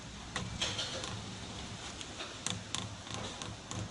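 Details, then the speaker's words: Honda New Civic being steered during a steering rack replacement: light, uneven ticks and knocks from a worn strut top mount bearing; a replacement kit is to be bought. "Né, galera, esse barulhinho que faz, isso aqui é rolamento da torre."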